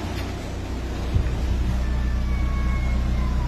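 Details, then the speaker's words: Mitsubishi Lancer automatic, 4G93 petrol engine, after break-in with new original Mitsubishi timing belt and throttle cleaning, temperature normal: low, smooth, even idle rumble, quiet with the earlier knocking gone; normal idle. "Lancer, boss. Maandar. Tahimik po yan. Wala na po yung pagdating nyo dito na lumalagatak."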